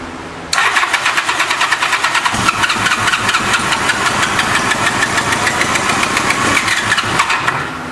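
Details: 1986 Honda Goldwing GL1200 SE-I fuel-injected, first start after electric fuel pump fitted: engine catches and runs lumpy and uneven, not firing on all cylinders; pipe test shows two exhaust pipes cold, running on two cylinders, stuck injector suspected.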